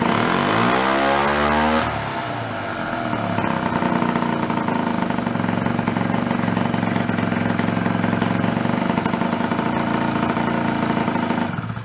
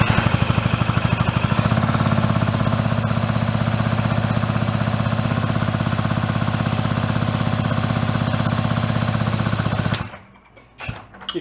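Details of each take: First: Fold-up 49cc suitcase scooter, two-stroke, first run after sitting 40-50 years, no choke, a little throttle: fires up, revs, settles into a steady buzzing idle that is clearing up and breaking up less, still smoking; normal running. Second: 49cc fold-up suitcase scooter, sat 40+ years, reportedly never ran: cranks with even compression pulses about three per second for ten seconds, no firing; good compression, ignition fault suspected in condenser, no tune-up parts on hand.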